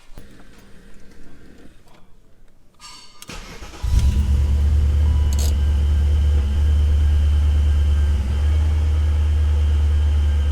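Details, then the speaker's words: Supercharged 2003 BMW E39 M5 after a spark plug change for a sputter under load: engine catches cleanly into a deep, steady, even idle with no stumbling; wideband air-fuel gauge searching. "uh so there you have it guys spark plugs are changed car seems to be running good"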